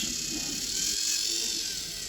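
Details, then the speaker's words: Lima class 50 model locomotive, received as a non-runner and now revived, runs on a controller at medium speed during wheel cleaning: a steady, high, thin motor whine at even speed with no clicks or catches. Running healthy again. "as you can here this 50 is back into operational condition condition"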